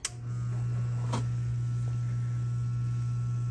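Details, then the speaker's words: Newly installed replacement sump pump switched on by lifting float: click, then soft steady low hum with no rattle or grinding; much quieter than the old rusted pump; normal running. "Nice and quiet. And that's it. This is much quieter than the one that we had in there."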